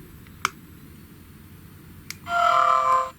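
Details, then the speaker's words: GHD Chronos S8M261 hair straightener: clean single beep with no rattle, because the on/off button is held still so it can't vibrate against the adjacent buzzer, the design fault otherwise causing a crackling noise. "but if you stop that switch from moving, that vibration from the buzzer doesn't cause that hideous noise."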